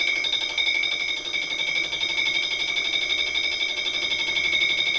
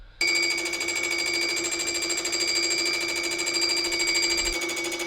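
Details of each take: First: Fly cutter skimming an engine block, roughing pass at 0.2 mm depth of cut, about 200 mm/min feed, about 710 RPM spindle: shrill steady ringing at two high pitches over a rattling cut, about four pulses a second; fly cutter chatter, rough finish. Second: Milling cutter skimming an engine block/cylinder head, with sponge packed into the cutter disc's holes to damp vibration: even, steady ringing tone with no rattle or shudder, leaving a brilliant finish.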